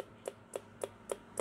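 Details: Macintosh Plus power supply with analog board connected: sharp little chirps about every quarter second, dead regular; the analog board supply voltage is misadjusted and needs resetting.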